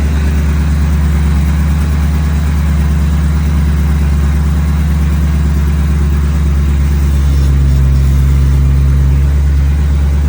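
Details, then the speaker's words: Ford S197 Mustang drift car with no EVAP and no cats, started to idle; a deep, loping, uneven idle at about two pulses a second. A vacuum check later found a fitting not tight enough, though the cause is unconfirmed. Rough idle. "So, I'm going to start it and let it idle and we'll see what we got. And now, you'll probably hear it. It doesn't sound [Music] [Music] great."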